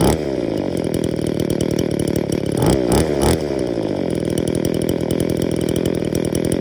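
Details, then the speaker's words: Trash-picked two-stroke engine before service, low-speed screw set richer to idle, suspected air leak into carburetor metering side: steady buzzing run, throttle blip burbles rich instead of clearing; faulty carburetor metering diaphragm. "idles but actually when you go and pull the trigger it's still a bit Rich you can hear it burbling so we'll change that"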